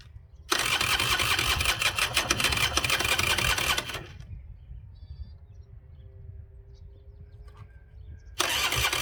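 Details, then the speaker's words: Honda NSR 125 test start after clutch work with exhaust refitted: starter grinds about three and a half seconds, stops, retries, never catches; weak cranking from low battery, later put on charger. "Nothing. It sound like something doesn't have enough power (again)."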